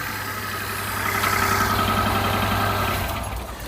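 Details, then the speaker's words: Peugeot 107 on a cold day, idling rough: pulling one coil pack connector makes no change to the uneven, lumpy beat, identifying that dead coil pack as the misfire cause. "Yeah, running rough as hell. If we disconnect another one, it can't run on one cylinder."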